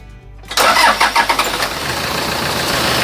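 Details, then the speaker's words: Tiger D4D diesel with a long-cranking morning-start problem, cold morning start after sitting overnight following the repair: brief crank, fires first try into a steady idle without stumbling, problem solved; normal cold start. "ดูแล้วตอนเช้าก็ทีเดียวติดนะครับก็แสดงว่าปัญหาตัวนี้ก็จบไป"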